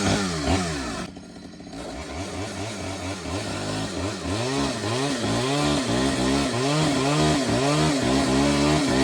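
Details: Stihl 009L chainsaw after fuel line and oiler work, cutting wood: a crisp two-stroke rasp revving up and down cleanly with steady pull through each cut; it runs, oils and cuts well.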